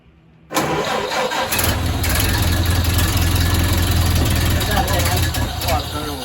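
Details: 1929 Ford Model A Tudor, rebuilt and once seized, not run in 40+ years, started in a basement on gas: starter cranks briefly, then the engine catches and settles into a steady, even low idle without misses.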